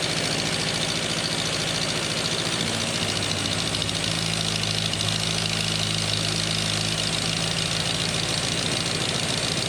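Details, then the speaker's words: Ninety rebuilt engine on its first real run, with fuel pumps on, a little choke, good compression and no cooling system fitted yet: a steady, even idle with a smooth low hum and no knocks or misses. Ignition timing is still acknowledged as nowhere near right. "well it runs really perfect oh thank goodness for that um that's the longest it's ran it's first fight life really sounds okay"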